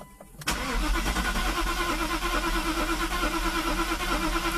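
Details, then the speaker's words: Mercedes with rebuilt fuel distributor (3 of 8 cylinders had no fuel, glue removed, diaphragm replaced), first start attempt, mixture unadjusted: cranks at about three beats a second, briefly catches then fails to run on. "come on okay it cut up for a second come on okay let it sit for a sec"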